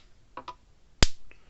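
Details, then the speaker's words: Blitzer 25 mile fence charger after repair for no output, screwdriver across terminals: one crisp, loud spark snap; normal output, estimated 8,000–10,000 volts. "See, it's working fine. Probably putting out 8, 9, 10,000 volts out of the thing."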